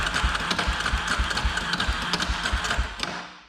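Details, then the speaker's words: 2003 Polaris Predator 500 cranking after both cams were moved forward one tooth, compression now 130–140 psi: regular thumping about four beats a second with a rough clattery edge; owner suspects flywheel noise, cause not yet found. "Wait, that definitely doesn't sound good."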